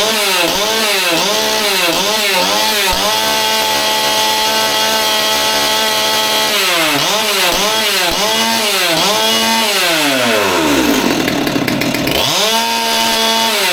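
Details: Old Stihl MS200T top-handle chainsaw that idled fine but wouldn't rev, after teardown and fuel line replacement (suspected cause): blips up and down cleanly, holds a steady high scream, then winds down without bogging or stalling; running healthy.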